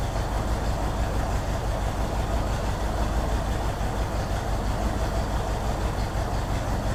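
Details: 1964 Ford Thunderbird V8 at idle, about 5.5 V at coil: deep idle with uneven, loping beat about three times a second that keeps stumbling; misfire suspected, possibly from bad vacuum leak at carburetor-to-intake spacer gasket, not confirmed.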